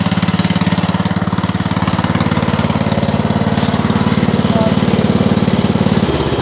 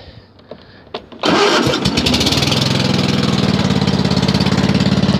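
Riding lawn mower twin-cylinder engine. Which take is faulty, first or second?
second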